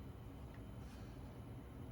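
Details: DeepCool LS720 AIO radiator fan turned down to quiet mode at moderate speed: soft, steady low whir with no ticking or rattle; at higher speeds past a certain threshold it develops a weird noise after 3 months of use.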